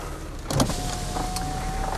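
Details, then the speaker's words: 2000 Mercedes-Benz C240, 76,000 km: power windows operated from inside, a bump then even steady whirring hum holding its pitch; window motors working normally. "I'll quickly show you that the windows work so I can get some air in the car so they all work you can see they come up and down"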